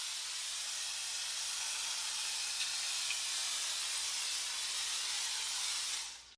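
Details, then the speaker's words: IK Foam Pro 12 pump sprayer right after the tank was refilled with air, with liquid still above the bottom piece. A steady high hiss of spray for about six seconds, then it cuts off; the foam is still uneven and spatters on each stop-start. "there we go so this is the consistency I'm looking for right here you see we're having a little bit of uneven it's not consistent"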